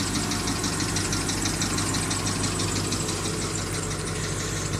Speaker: It's not really loud, like it's fine, but it's little sound.